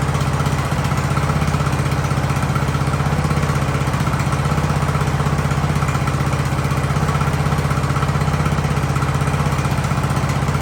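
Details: Ariens hydro-drive riding mower, sat at least two years, in about 30-degree cold: even, steady idle thumping about four times a second with no surging, misses or dying; engine settled and healthy.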